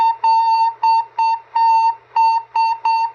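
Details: Cobra 142 GTL CB base station squealing with the volume three-quarters or more: clean steady whistle near 1 kHz in short bursts, about three a second, like a train whistle; interference traced to the mic plug shield and black wire feeding the audio.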